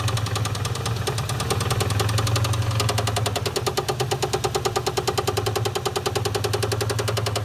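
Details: 1997 Ford Mustang GT 4.6L 2V V8 idling with a quick, sharp, regular knock over the hum, run with the valve cover off while diagnosing; engine to be replaced.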